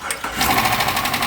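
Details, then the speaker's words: Police Dodge Charger HEMI at first start after cam and lifter job with new updated lifters; quick steady light lifter tick at idle, as it sounded when it came in, fading as oil pressure builds. "That's how it sound when it came in, but guess what? Hear that? It's going away. You know why? Cuz it has the new updated lifters in it."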